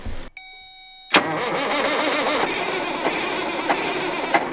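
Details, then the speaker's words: Caterpillar 3406C diesel in Cat 16H grader, abandoned about a decade and drained, fluids refilled, drivetrain and hydraulics disconnected: after silence it catches at once and runs steady and even; clean start. "we don't know if it runs or not but we're gonna try to see if we can get this thing to start up"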